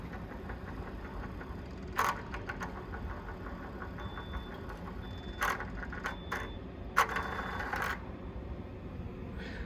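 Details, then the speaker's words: 2016 DAF LF Euro 6 truck, new VTG turbo actuator being calibrated after replacement. Sharp clicks and short thin motor whirs as it steps through its travel in a quiet background. Normal calibration. "so now we're going to calibrate the um actual actuator so we'll do that and it goes through the steps and how to do it obviously we know and you'll hear it making a noise"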